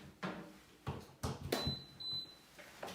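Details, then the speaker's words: Aerovex Whisper salon source-capture extractor, newly unboxed, power cord just plugged into box and wall: among handling thumps a single short high beep at power-up, the normal start-up signal. "beeped, that's good news. Flip the little switch on the side to turn it on."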